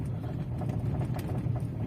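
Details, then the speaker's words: 2016 Mazda 6 GL with two months of suspension knocking; after swapping the front struts side to side, the knock moved to the right side. Dull irregular knocks over road rumble while driving; knock traced to the strut, owner suspects the strut mount bearing. "Ну естественно теперь стук перешел на другую сторону теперь с правой стороны больше наблюдаем сейчас"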